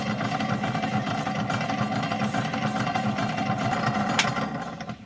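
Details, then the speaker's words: 1951 Stromberg Carlson Velvet Action record changer: loud, lumpy mechanical rumble with irregular thumping drowning the record, from a worn idler wheel that needs replacing. "But of course, you can't hear it just mechanically because of all the noise this thing's making."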